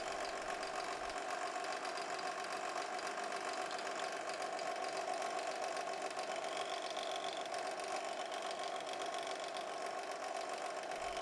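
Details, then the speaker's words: 2014 Chevrolet Cruze 1.8L four-cylinder at idle, heard through a stethoscope on the water pump: steady mid-pitched whirring drone from a worn water pump bearing; pump to be replaced along with the timing belt. "as you can see the noise is definitely coming from this water pump so let's go ahead and get it replaced"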